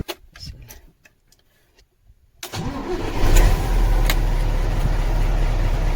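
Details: Mercedes-Benz SK truck diesel with no start, after bypassing broken battery off switch and cleaning main and starter cables: starter cranks and engine fires within a second, settling into a deep, steady, even idle.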